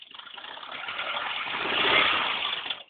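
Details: At idle, a thin, hissy scraping rises and fades up front near the timing belt. It started after an HID light fell off and broke the belt, and persists after belt replacement; owner thinks something is stuck. Cause unclear.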